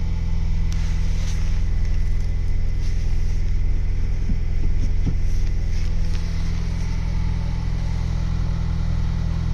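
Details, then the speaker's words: 2023 Ford Bronco 7-speed manual cold start at about -7°C (20°F), fast warm-up idle around 1,200 rpm, clutch pedal held in: steady smooth low rumble, no grinding; scraping appears once the clutch is released in neutral. "I'm holding in the clutch and everything sounds normal"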